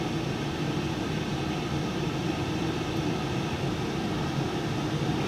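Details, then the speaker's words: Cosori Turbo Blaze 6 L air fryer on air fry mode, fan at full speed: constant airy whoosh with a faint steady hum, no rattles, ticks or rising whine; quieter than larger models, fan running cleanly at full speed. "I will say it's quite a quiet air fryer compared to the Big Daddy versions. The fan speed is picking up. Sounds like it's about to take off down the runway."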